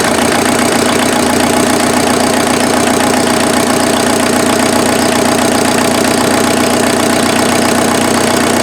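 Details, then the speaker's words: Mazda off-road build with a freshly refreshed replacement engine (owner thinks the previous engine was one tooth off on timing), cold-start advance disengaged: steady, even diesel clatter at idle, smooth, no misses. "this thing idles so smooth i'm pretty sure i was one tooth off on the uh on the other engine but this one this one's good so i'll i'll fire it up and we can just hear it idle it's so smooth so smooth it's so good"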